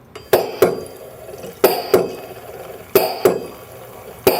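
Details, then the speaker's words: LM10 homogenizer processor primed and running at a set 10,000 psi process pressure; even paired pump clicks about every 1.3 seconds with quiet hiss between; normal operation. "Machine operates we can walk through screens again now that the LM 10 is running"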